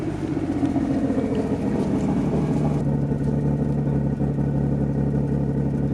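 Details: Nissan R33 Skyline with freshly rebuilt turbocharged RB30 six (RB25 VCT head, RB26 cams, EFR 8374 turbo, screamer pipe, Link G4+ ECU); steady even note with no knocks or misses, revving smoothly and cleanly, healthy engine.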